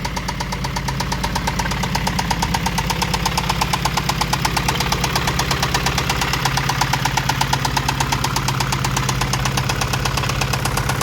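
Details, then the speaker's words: Acura Integra after alternator replacement: sharp regular knock about three per second over the idle; owner suspects internal engine knock, cause not confirmed. "This is gonna be it, and probably in the future is gonna be a new engine for this thing, because it sounds like it's knocking."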